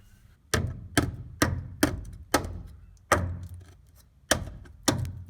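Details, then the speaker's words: 1985 Toyota 4WD pickup from Ohio, frame hammer test: eight taps about half a second apart give dull dead thuds instead of a ring, a pitch change over roughly 18–24 inches. The frame is rust-thinned inside, and the whole section is to be replaced. "you can hear a clear difference in the pitch of the taps when i get past a certain point so i've got maybe 18 to 24 inches of thin metal here"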